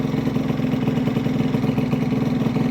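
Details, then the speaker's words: Honda Vision scooter, bosozoku build, new starter jet fitted, choke off after warm-up: small single putters evenly around 1500 rpm with no hunting or stumbling; clean steady idle without intervention. "but it sounds perfect that's the best I've ever had it running on its own without me having to intervene"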